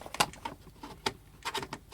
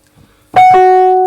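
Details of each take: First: Wurlitzer 200A/EP200 electric piano, powered on after tuning the dodgy F and clearing the reed from the pickup, where crud often causes crackles. Light clicks, then clean sustained notes without crackle or buzz; normal tone. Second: Wurlitzer 200A/EP200 electric piano, powered on, dodgy F note. A held note with a sharp clack at strike and release sounds off pitch. The reed is out of tune and touching the pickup.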